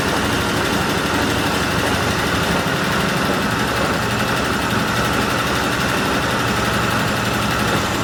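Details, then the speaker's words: Argo ATV engine, running steadily: heavy, deep knock repeating with engine speed, earlier wrongly blamed on clutch springs; worn main bearings, engine to be replaced. "okay everyone so it's running it's running actually pretty good has quite a bit of power uh but i i was just listening to a run because it's knock knock knock knock really heavy"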